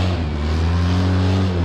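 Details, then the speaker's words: Polaris RZR 800 after repairing bad rod bearings (rod knock): strong, even low drone with smooth exhaust note, no knocking or tapping on a test ride; runs great after the fix. "we went to took it out for a ride and it runs great and it's super awesome my wife liked it too"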